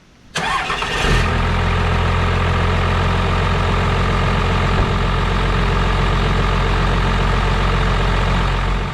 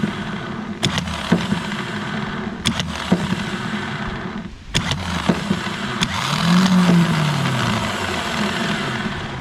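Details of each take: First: Second-gen 12-valve diesel truck, previously a no-crank no-start, after installing a new XDP gear-reduction starter: short starter whir, then it fires quickly and settles into a steady, even idle. Normal start. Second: 12-valve diesel truck starter removed and bench-tested with jump box and starter button: clicks, then starter whirs with rough gritty hum; bearing has play, worn starter bearings, being replaced with XDP gear-reduction starter.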